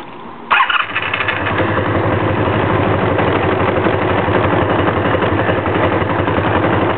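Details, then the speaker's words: 1984 Honda Magna V65 being diagnosed for very hard starting: the starter whirs, then the engine catches and idles slightly unevenly. The cause is undiagnosed; fuel seems to spit from a vent tube off the top fuel line once warm. "Let's see if we can keep this thing running. Nope. Tried to give her a little gas and it went."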